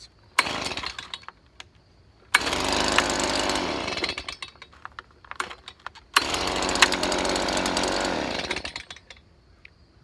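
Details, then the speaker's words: Stihl BG 55 leaf blower after carburetor cleaning and fresh gas, choke off: two clean revs to full speed, climbing and holding evenly, settling to idle; rough running likely from bad gas and dirty carburetor, now smooth running. "well sounds like it's running pretty smooth they probably mixed between the bad gas and the dirty carburetor the majority of the problem"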